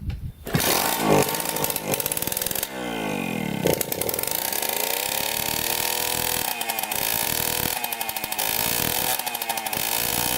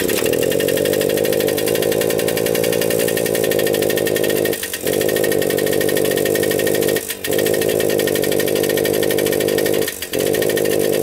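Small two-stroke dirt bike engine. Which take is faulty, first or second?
second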